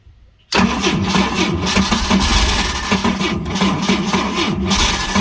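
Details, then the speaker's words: Pontoon boat engine that sat 10 years, old fuel sprayed, finally starts: it runs rough and uneven with a lumpy low rumble and surging; the battery is going dead and the starter is suspected faulty ("dying dolphin" sound); hard starting. "there you go it runs it lives battery's going dead so i'm not gonna kill the battery i think the starter's got a problem with it too"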